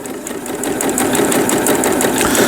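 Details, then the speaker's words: Riccar Quilt Mate sewing machine after repair with upper and lower thread tension adjusted: quick, even needle clatter with no rattle or grind; normal, quiet sewing. "la reparación salió bien. Ya no hace ruido y puedo coser. Me alegro que haga tan buen sonido."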